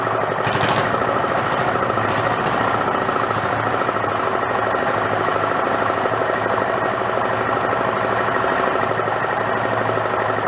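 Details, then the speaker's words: Renault single-cylinder marine diesel revived after about 20 years in a shed, with fuel now through the pump and throttle all the way down. Loud, even, rapid thumping with a sharp open-exhaust bark at steady speed. Won't shut off without starving the air. Normal running. "yes so that's more like it there's only one problem i can't shut it off i gotta starve it for air"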